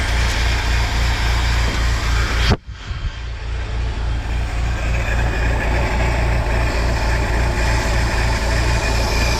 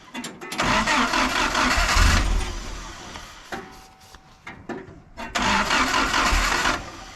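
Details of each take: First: 1953 Willys CJ3B stored for years, running on 2-year-old fuel: after a brief dropout, a steady, even low idle settles in with a smooth rhythm and no knocks; the engine is running fine. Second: 1953 Willys CJ3B stored for years, with fuel pressure present but very dirty 2-year-old 10% ethanol fuel and the choke possibly off. Two long bursts of steady cranking, about three turns a second, never catch.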